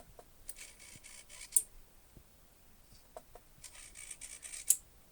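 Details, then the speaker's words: Model railway turnout servo slowed by Arduino code, one crossover pair moving: faint high buzzing in short separate spurts rather than a smooth sweep, jerky stepping; owner suspects busy Arduino loop (quarter-second CMRI processing) causes the breaks. "and although it's quiet it's still not smooth I can hear the Brakes in it it kind of moves in chunks and I guess that's just because the Arduino is actually busy and sometimes Loops run more slowly than others"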